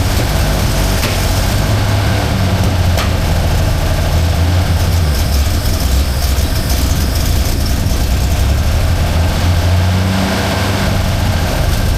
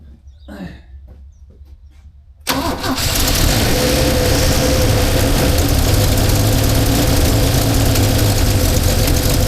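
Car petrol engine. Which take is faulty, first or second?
first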